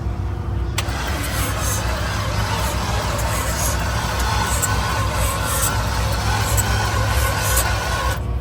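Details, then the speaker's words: Burnout truck engine restarted after the belt flew off and it got extremely hot and shot a fireball, heard from under the engine bay. It runs with a heavy, uneven low rumble; rough running after overheating, with the owner believing the motor is cooked. "that's definitely not ideal that means we definitely hurt the motor it's she's cooked"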